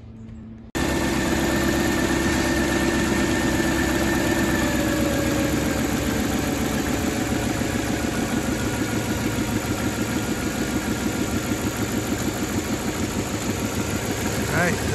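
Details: Mercedes W124 V8 idling after swapping old PCV hoses for silicone replacements: steady, even low rumble with no knocks, misses or hissing leaks; no problems found, normal idle.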